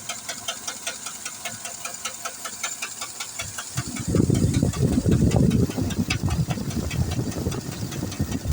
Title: ruido en el motor , Tahoe 2008motor 5.3